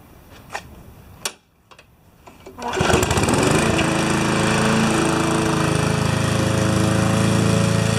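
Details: Normal running under load on a Briggs & Stratton mower engine with a Pulsa Prime carburettor. During a test cut it fires after a few clicks and holds a strong, steady beat, pulling evenly through the grass.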